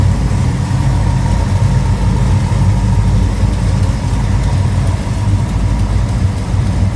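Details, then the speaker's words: 1969 Pontiac GTO two-door hardtop Judge tribute, built 428 XF-code V8, engine bay open; deep, even V8 burble at steady idle with no misses, knocks or ticks; engine sounds healthy, normal idle. "and fire this up so you can hear it run cuz like I said, this car sounds healthy."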